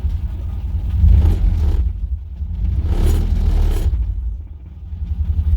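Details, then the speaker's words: Nissan 240SX after fuel line replacement and idle air control valve adjustment: deep, uneven low rumble that sags and surges, barely holding on; idle set far too low. "as we can see it's idling now but it's very low we need to still adjust it"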